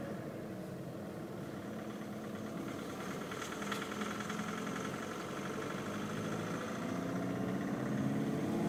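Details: 2011 Volkswagen Polo 6R TDI diesel at over 118,000 km, fuel injectors replaced at 70,000 km to cure severe noise and drivability faults: quiet, even idle with no clatter or tapping over a low hum; smooth, healthy run.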